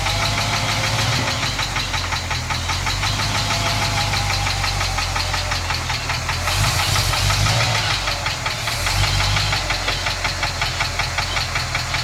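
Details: 1967 International Harvester 1200B pickup petrol engine at idle with a loud steady tick about three a second that doesn't fade as the engine warms; owner suspects lifter tick, unconfirmed.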